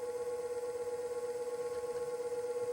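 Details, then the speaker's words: Treadmill DC motor on SCR speed controller at slowest setting (150 kilo-ohm pot), almost 500 RPM on tachometer: steady, even hum with a single clear mid-pitched tone, no knocks or scraping; runs smoothly. "See, that the slowest speed on this tack right here. The 150 pot, 150 kilo ohms. So that's the lowest speed right now. Almost 500 RPM."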